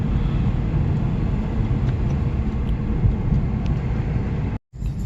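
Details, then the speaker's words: Acura TSX on test drive after replacing belt tensioner, belt and water pump: low even rumble over road noise, no squeal, whine or knocking; normal running. "a sweet sound of you know low noise from coming from the motor"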